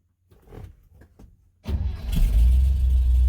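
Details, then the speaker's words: 1970 truck, ice cold start on partial choke after fuel tank, lines and carburetor cleaned and rebuilt: a few cranks, then catches and settles into a strong steady run; normal cold start. "Listen to that. Ain't that wonderful? Now I got the choke on a little cuz she's ice cold, but just pers. I can't believe how well it works compared to what it was."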